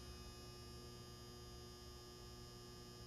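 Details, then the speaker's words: Galaxian arcade machine during restoration, at power-on: steady low electrical hum from the lower chassis after a spark; monitor seems unpowered with no neck glow, cause not yet found. "I don't know what the spark was that hum is that from down there it was doing that when I first turned this thing on"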